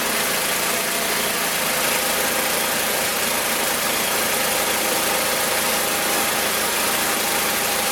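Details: Magna air compressor, circa-1983 Briggs and Stratton engine, sat 5 years, first start on carburetor alone: steady even buzz, no misses, knocks or surging; runs awesome, pumps to 100 psi, owner may raise to 120.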